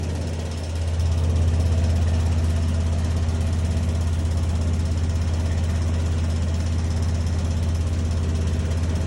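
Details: Bosch machine running: deep steady drone with a soft pulsing throb about three a second; abnormal noise, cause unclear.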